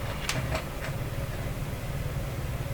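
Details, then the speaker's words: Korting German console tube receiver at initial power-up, speaker output: steady low putt-putt rumble at low volume with no music, disappearing when volume is turned up high; motorboating oscillation, cause not yet found. "coming out of the speaker yes hear that rumbling I turn up the volume ooh there's a motorboating going on when I have the volume rated at the bottom"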